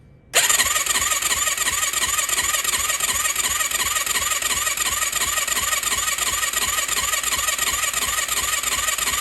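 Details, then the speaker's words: 2004 Yamaha YFZ450 ATV after rebuild with new exhaust, first start attempt: long steady cranking, about three pulses a second, not firing; engine dry with new oil filter and likely no oil in lines, 8mm bolt loosened to prime oil to head. "That seems like a lot of cranking. But then again, we do have a new oil filter. I mean, the engine's completely dry."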